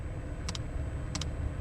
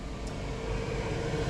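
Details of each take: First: 5 kW diesel heater in a van, just after replacing the faulty temperature sensor that left it blowing cold air: steady low combustion roar with sharp even dosing pump ticks about twice a second; healthy and now blowing warm air. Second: 5 kW diesel heater in a van: steady low fan roar with a faint hum, no combustion build-up, blowing cold air and not firing up; the controller wrongly reads 100° inside; faulty temperature sensor.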